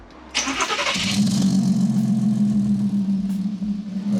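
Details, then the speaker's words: Audi TT Mk2 with custom valvetronic exhaust (flexis possibly worn), start with exhaust valves closed: brief crank catches cleanly and settles to a steady, even, smooth idle with no misses or knocks; normal cold start. "So do a start with the valves off and then a start with the valve valves on. So this is a start with the valves off."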